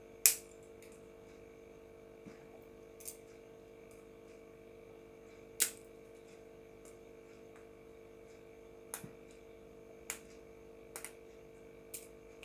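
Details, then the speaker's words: Refrigerator PTC starter relay shaken by hand: sparse sharp clicks and rattles of loose ceramic; cracked inside, and a good PTC should not rattle, so don't use it. "Ini PTC jelas kalau yang bunyi ini pecah di dalamnya."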